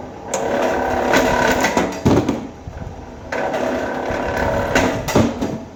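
A steady motor drone that sags and recovers as each wire feeds through, with no grinding or knocking, so the stripper is running normally.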